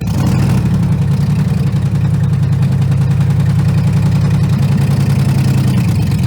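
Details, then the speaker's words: A 2011 Ram 1500 or 1975 Ford F-150 just got running for the first time, following a security light reset. It idles with a loud, uneven low rumble and irregular beat. It runs and drives but sounds awful, and the cause is unknown. "Sounds completely awful, but it does run and drive."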